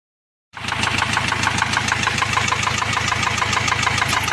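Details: Ford Transit diesel van at idle: sharp, even ticking at about three per second from the valvetrain; a rocker arm on cylinder one had fallen out of place, leaving that valve inoperative and slightly damaging the camshaft edge.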